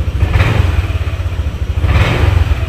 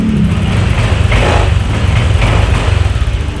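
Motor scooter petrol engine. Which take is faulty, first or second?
first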